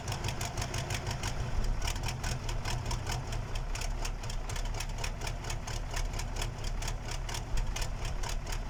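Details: KAMAZ diesel engine's first start after a major overhaul: rough, clattery idle with fast, regular ticking over a heavy low rumble that settles into a steady idle; a sound engine.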